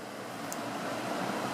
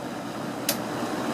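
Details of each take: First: Edison box fan with a Toastmaster-branded motor, after cleaning the motor and blades, running on low speed: a soft, steady whir with no rattle, ticking or scraping. It runs fine, about the same as before the clean-up. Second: Old Edison box fan with a Toastmaster-branded motor on medium: a steady whooshing fan roar with a faint rattle and one sharp tick, very loud for how little air it moves; cause unclear.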